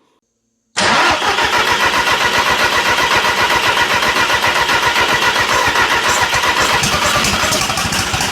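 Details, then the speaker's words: Toyota MR2 with a 1.8T engine swap on its first start: it cranks, catches and runs choppy and lumpy. A thermal camera showed cylinders one and four not firing. "It technically runs. We're definitely not running on four cylinders. So, I'm just going to grab the thermal thermal imaging camera and see which cylinder isn't firing."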